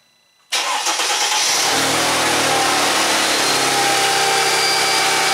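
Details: 2002 Mercedes ML320 cranks and catches at once, settling to a steady, even cold idle with no misses; engine diagnosed for EGR code P0400 from a plugged EGR pipe, fixed by cleaning EGR valve and pipe.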